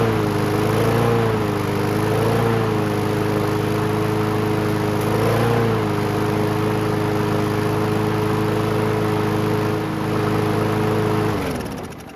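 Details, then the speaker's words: WeedEater 21" push mower, Briggs & Stratton 500 Series 158cc, on fresh gas: steady drone whose pitch sags and recovers every few seconds, hunting on the governor; carb still needs cleaning. "So it seemed to start and run, no issues. The restart took 2 pulls, which I saw that it was bouncing off the governor here a little bit."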